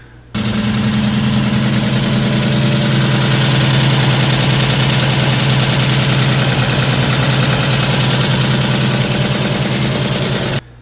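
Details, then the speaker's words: Ford Mustang Fox body at idle: harsh loud clatter about three taps a second over a deep rumble; no oil pressure, oil pump locked up and twisted its drive shaft off. "so the next thing I said it sounds to me like it does not have any oil pressure"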